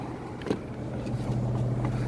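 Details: 3-cylinder Toyota Vitz idling while parked on an incline, front tilted up, heard inside the cabin: steady low drone with no knock or misfire; vibration worse on an elevation.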